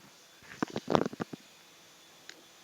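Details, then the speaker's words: Sharp refrigerator on low mains voltage around 160-180 V: after replacing the PTC, a brief cluster of sharp clicks and nothing more; compressor fails to start because of low supply voltage. "Malah bunyi ini cetek kompresor tetap ini tidak itu"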